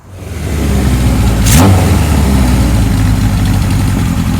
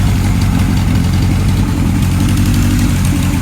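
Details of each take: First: 1978 Kawasaki KZ1000 LTD four-cylinder with new rings after sitting outside: catches and settles into a fast, slightly lumpy uneven idle while still cold; expected to smooth out as it warms and rings break in. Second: 1978 Kawasaki KZ1000 LTD after rescue rebuild with new rings, still warming up: deep, even four-cylinder burble at steady idle, no ticks, knocks or stumbles; expected to smooth further as rings break in; normal idle.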